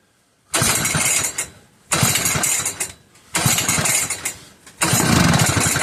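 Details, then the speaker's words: McCulloch 1-52 chainsaw clamped in a vise, strong compression and spark confirmed, after adding fuel: four pull-start bursts, each a quick rough flutter that fires briefly and dies; hard starting, just catching but won't keep running. "Come on, girl. She's trying. Come on, girl."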